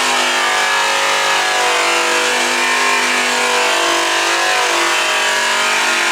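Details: High-speed (full-speed, up to 6000 rpm class) polisher/buffer, pressure raised from light to medium to heavy: steady high whine sags lower in pitch as the pad is pressed harder; heavy pressure bogs the motor, losing considerable RPM.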